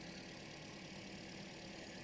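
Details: Car after water pump and belt replacement for engine noise, coolant topped up, heard at idle: steady even idle, soft constant hum, no knocks, ticks or squeals; normal idle.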